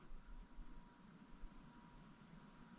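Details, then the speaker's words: Hampton Bay 52" Quick Connect Contractor Edition ceiling fan running on high, motor possibly a 153 (not confirmed): only a faint, steady low motor hum and soft even whirr, quiet airflow, no clicking or wobble; normal, healthy ceiling fan. "There's a hum on high, but for an SMC product, that is no surprise at all. It's actually pretty quiet in terms of airflow."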